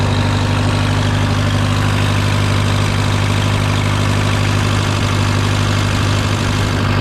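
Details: Case VAC tractor idling after a new aftermarket water pump was fitted for overheating to 80 after a coolant change; temperature steady near its normal 40. Even, steady low throb at about three beats a second, no knocking or rattling; smooth idle.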